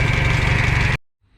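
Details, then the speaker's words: Minneapolis Moline A4T 1600 tractor at lumpy idle: steady high whine from power steering pump until shutdown; no visible leak, owner added fluid and thinks low fluid was the cause. "Steering pump's making some noise on this. I'll check the fluid in it, but it doesn't look like it's been leaking, so I don't know. But it doesn't sound good. Definitely making some noise."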